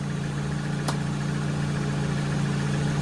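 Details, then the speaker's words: Car at steady idle with a single sharp click from up at the front damper, where the top mount visibly moves as if a nut has come off: suspension top mount clicking. "Don't know if you can hear that, clicking away. Listen, there you go. And it's actually clicking from up here on the damper."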